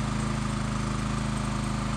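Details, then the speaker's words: Honda EX1000 generator, low hours, fresh fuel, powering a roughly 1500 W heat gun: steady even drone with firm regular beat, no misses or surging; runs perfectly under load. "well there you have it a lot well generator runs just perfect"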